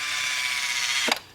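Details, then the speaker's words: Toyota 2JZ-GTE VVTi engine wiring test in a Nissan S14 build, out of fuel, key-on: thin high electric buzz for about a second, then a sharp snap as the throttle body cycles normally. "and it you can hear the throttle body you know C on and and uh that's pretty much it"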